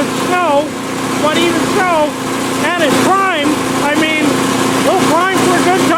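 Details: PowerSmart 24" snowblower small engine, ninth season, about 50°F outside, test run on sidewalk; steady, even hum under loud bird chirps, no misfire or hunting; healthy, performing perfectly.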